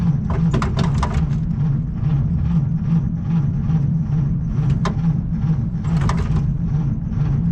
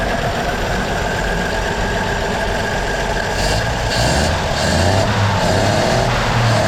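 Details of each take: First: Slow, labouring starter churn with no catch on a 1937 Chevy Master Deluxe coupe, sitting about a year and a half, battery unhooked indoors; the weak battery can't spin the engine fast enough, possibly flooded, so a maintainer is connected. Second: 1937 Chevy Master Deluxe coupe, now warmed up after its first start in about a year and a half: steady, even idle with a smooth low thrum, no knocks or misses; normal warm idle.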